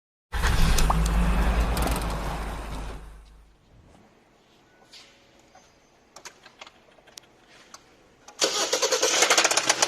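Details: 2021 Hyundai Sonata petrol engine starts, then runs with a sharp, steady engine knock of about four beats a second.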